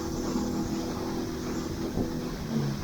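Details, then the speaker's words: Outboard boat engine trimmed down too low: steady heavy drone with no rise in revs as extra hull drags through the water and the engine works harder. "You can see all that extra water playing out is the amount of boat that's dragging through the water now."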